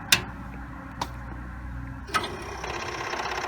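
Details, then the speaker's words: Commodore 8050/2040 dual floppy drive powered on for first time in perhaps 30 years: three sharp clicks a second apart, then quick even ticking chatter as heads seek; normal healthy power-on chatter. "oh yeah that's the sound of a happy drive or at least somewhat happy i don't know if you could hear the chatter"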